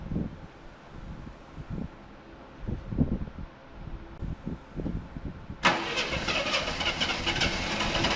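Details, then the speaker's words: 1984 Chevrolet C10 pickup, six-cylinder, 84k miles, parked since 1993: after fitting a brand-new distributor it cranks several seconds, catches cleanly and runs evenly; spark restored, engine sounds good. "Hey Started up pretty good. That's what happens when you have spark."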